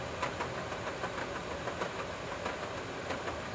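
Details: Royal Sovereign 14000 BTU portable air conditioner: rapid, uneven banging knocks, several a second, over the steady hiss and hum of the running unit; a new noise.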